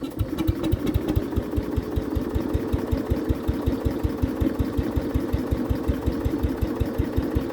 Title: CASE 220 Hydraulic Drive Hard Start and Drive